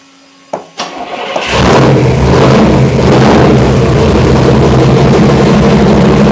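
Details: Freshly installed Chevy V8 on first start, timing and fuel ratio not yet set: cranks, catches and settles into a loud, lumpy idle that hunts a little while warming up.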